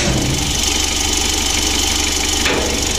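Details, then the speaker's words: Mitsubishi L300 diesel at idle after adjustment, droning/humming gone; light uneven ticking about a hundred a minute over steady idle, attributed to the injection pump. "untuk seorang itiknya ini pada injection pump ya injeksi pump nya itu suaranya etik begitu"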